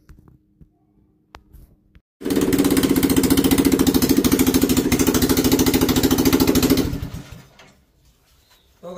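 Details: Small engine converted from throttle-body fuel injection to a carburetor, on 20% ethanol petrol: catches and runs at a quick, uneven putter about five seconds, then dies. Misfire; owner suspects carburetor overflow, ethanol fuel or wiring mismatch.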